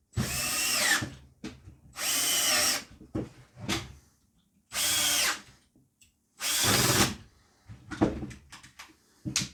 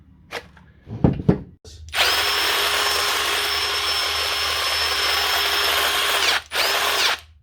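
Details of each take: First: Impact wrench after contact cleaner spray: crisp, even bursts of motor whir with each trigger pull, no sputter or cutting out; running like brand new. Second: Drill just reassembled after a plastic piece was chopped off so the battery slides on: steady high whine with a rough, gritty edge over about four seconds; "that doesn't sound good."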